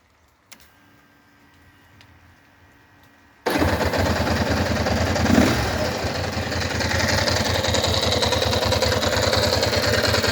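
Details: Engine catches and settles into a busy, even idle with a light rapid ticking on top; cause unclear.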